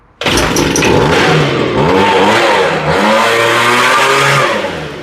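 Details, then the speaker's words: Homelite leaf blower, warm after a quick fix for running then dying and stumbling, started choked: catches straight away, revs cleanly up and down, then holds a smooth steady note, running perfectly. "this thing sounds great man I kicked up a little dust in here now that thing's running perfect"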